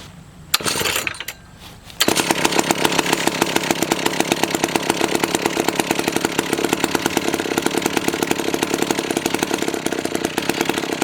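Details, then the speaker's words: McCulloch 1-42 two-stroke chainsaw, restoration project, first run after reassembly: after a couple of pulls it catches and holds a fast, steady, crisp rattle without stumbling; sounds pretty good, healthy running saw. "that sounds pretty good think I'm gonna have to try and cut along"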